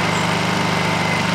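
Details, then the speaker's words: Honda generator on Eco Throttle: a steady, fairly loud hum at one even pitch with no surging or hunting. Normal running. "and let me put on the Eco throttle soall all right here's ecole it's loud isn't it"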